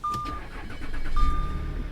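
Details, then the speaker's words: 2010 Chevrolet Corvette Grand Sport, salvage auction car with about 100,000 miles: short crank catches right away and settles into a smooth, even, quiet idle with no odd noises; healthy start. "and she runs good and quiet how about that"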